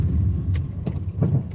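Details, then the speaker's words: Honda Amaze on the road: light knocks, about four in under two seconds, over low road rumble as the car brakes, from a badly worn suspension. "जब आप break लगाते हैं इसके निलंबन में आवाज आ रही है।"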